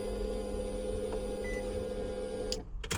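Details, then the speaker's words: Nissan G35 fuel pump priming at key-on after DeatschWerks hard-wire relay kit installed; smooth steady hum then clean cutoff, no whine, during fueling-issue diagnosis. "So, pump primes like it's supposed to, and it actually sounds a lot better."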